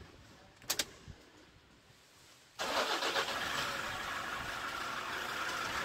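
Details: 2012 Toyota Hilux 2.5L (2,494 cc) diesel, manual 4x4 double cab, that had a no-start problem. A couple of clicks, then the diesel catches abruptly and settles into a steady, even idle with no misses or knocks.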